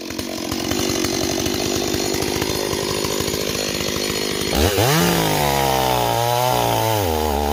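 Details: Stihl 026 chainsaw returned as a no-start, cutting in chilly weather: rough burbling under cut, then a blip that climbs sluggishly and wavers; running too rich, rakers possibly filed too low.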